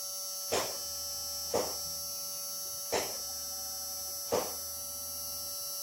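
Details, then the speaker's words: 1986 Ford Mustang hatchback after heater core replacement, key on with engine off, about three gallons of gas with stabilizer: steady electric hum with a sharp tick about once a second; fuel pump priming normally. "let's see if this baby will start ooh feel pump primed"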